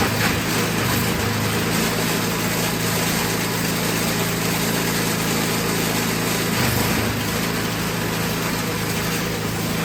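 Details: Toro 521 single-cylinder snowblower, free non-starter, after carburetor tuning: runs at a steady, even speed with no surging or hunting; carburetor dripping gas, otherwise running healthy.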